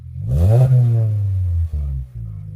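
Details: 2013 Hyundai Elantra GT, previously straight-piped, start after fitting a new chambered muffler: quick catch, a smooth rev swell falling back to a calm, mellow idle; exhaust note even and healthy.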